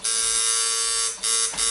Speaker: here I really like the noise. I really like how it sounds.